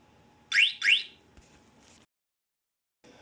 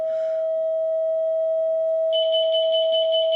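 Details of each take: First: Motion alarm mounted on a unicycle at sensitivity setting one, in an A vs B comparison, with the wheel disturbed to simulate a theft: two quick, shrill rising chirps, then quiet, as the anti-theft alarm sounds. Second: Alarm test: a steady test tone from a nearby speaker plays, then high-pitched alarm chirps pulse about twice a second as the alarm is falsely triggered by the frequency. A third-party alarm closer to the speaker did not go off.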